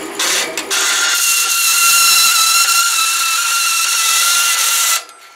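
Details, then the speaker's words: Delta saw converted to metal cutting with a DC motor on a VFD at about 22, wrong blade, cutting aluminum: piercing high steady screech above the motor throughout the cut; cause unknown, possibly the saw frame chattering. "cutting very fast I don't know if you can hear how loud that is it was just screaming and hurt my ears my ears are now ringing"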